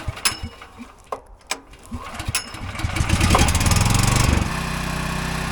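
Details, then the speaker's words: Champion dual-fuel generator after its carburetor was cleaned: after a couple of priming pulls and knocks it catches and settles into an even, steady, smooth run with no stumbling, where it had been running rough before; normal start. "and listen to it it's running good it's running so smooth"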